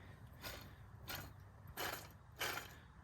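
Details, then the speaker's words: Worn tensioner pulley bearing from the drive-belt tensioner arm of a 1987 Toro Proline walk-behind mower deck, spun by hand: short, rough, gritty, growly whirs that fade out. The pulley will be replaced. "you can hear that's pretty growly so we'll probably just go ahead and get that redone"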